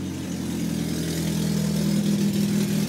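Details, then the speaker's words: 2009 Toyota Prius revving in park after replacing a stolen catalytic converter; low steady drone with raspy, breathy edge from an exhaust leak at the new joint; clamp corrected, much better. "like there's a leak already"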